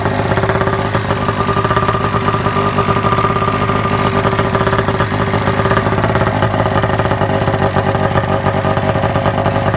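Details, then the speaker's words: Snowmobile-engined vehicle under rebuild, exhaust muffler only set on, not packed or riveted: loud raspy two-stroke idle with sharp spitting puffs as exhaust leaks everywhere around the muffler. "the exhaust leak style everywhere around the muffler it's not packed it's not riveted it's just kind of set on there"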